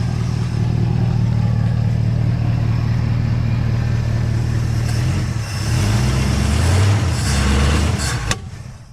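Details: 1970 Pontiac Tempest V8 after installing a fuel line, moved around the yard: uneven, lumpy running with a low throb that sags and stumbles as revs change; ignition timing well retarded.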